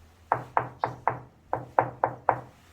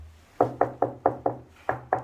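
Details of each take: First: Tapping on tile: eight crisp, short, firm taps with no hollow ring, unlike the hollow sound of adhesive-set tile not pressed well before curing; solidly bonded tile. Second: Eight hollow, ringing "tong-tong" taps on tile laid with adhesive that was not pressed down firmly, before full curing; tiles over mortar sound solid by comparison.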